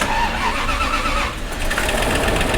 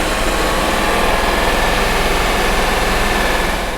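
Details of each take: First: Bentley Arnage T, sat about two years in desert sun, first start after reassembly: long steady cranking drone with no clear catch, engine slow to fire; extended cranking before it starts. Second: Bentley Arnage T petrol V8, restarted after about two years sitting in desert sun and earlier misfiring, now idles steadily with an even low pulse and no misfire stumbles or knocks. The misfire appears cleared.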